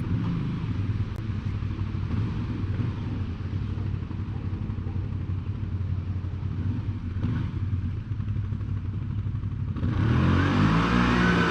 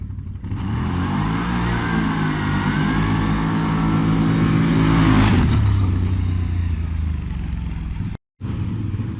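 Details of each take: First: 2020 CFMOTO CForce 800 after an Airdam clutch kit install. Engine drone holds then climbs smoothly with no RPM dive after the first few feet, pulling hard at full load through mid-to-high range: strong steady rpm pull. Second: 2020 CFMOTO CForce 800 ATV with stock clutch, before the Airdam clutch kit: engine climbs under throttle, then revs dive and sag after the first few feet, an RPM bog under acceleration.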